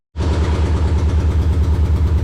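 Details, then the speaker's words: Junkyard Subaru engine's first start-up with an incomplete exhaust: loud, raw, rapid, even puffing at idle with a hard bark to every pulse; it runs well but has a huge exhaust leak. "well it's running good i only had a one nut to go on the other side of the exhaust so there's a huge exhaust leak but it's running good"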